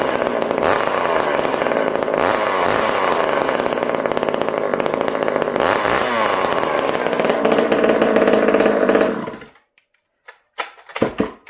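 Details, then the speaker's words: Hot-rodded Homelite chainsaw, cold start after sitting a few days: loud, crisp high-revving two-stroke holds steady and strong about nine seconds, then shuts off cleanly; muffler reportedly throws flames; healthy build. "But first, let's start this saw. I want you guys to see. This is a cold start. I've not run this thing in a few days."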